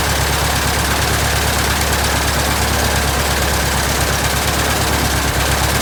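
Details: 1967 Citabria restoration, first start: steady, even low drone with a smooth beat, no knocks or misses; aero engine settles into a normal idle.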